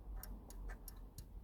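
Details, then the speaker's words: 2007 Audi A4 convertible 1.8 turbo: five light, sharp clicks as the roof latch trip microswitch is pressed by hand in a quiet cabin, turning the dash roof warning light off and on. "then I would just need to operate the trip switch in here that would normally be triggered by uh that locking mechanism going inside here and the trip switch is just there so if you can hear that clicking"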